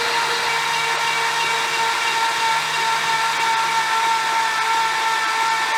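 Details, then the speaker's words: 355 stroker V8 in an HX One Tonner, unstarted for 11 years since its dyno run, cranked for priming with 20 psi air in the dipstick tube: even, fast starter whir, no compression pulses, steady air hiss; oil pressure reached about 30 psi. "Okay, so that turned over pretty well. So if you was watching the gauge, I think that went up to about 30 psi. So it's definitely making oil pressure."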